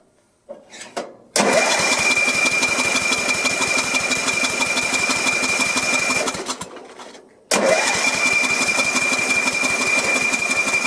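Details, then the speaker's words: Sears LT1036 lawn tractor, Tecumseh engine, sat at least two years, carb cleaner sprayed in: starter cranks about four compressions a second in two bursts without firing; very weak spark, no start. "crank it over. I don't know if you can see that, but it's a very, very weak spark. A little stronger that time."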